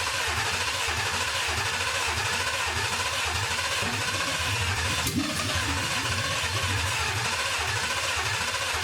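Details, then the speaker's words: 1979 Ford Bronco with a 2020 Gen3 Coyote V8, first test fire running from a nearly empty fuel bucket through a 2001 Ford Escort pump, with no coolant: it churns and cranks with one brief catch, then dies without running. The owner suspects low fuel. "almost had something not very much gas in that bucket"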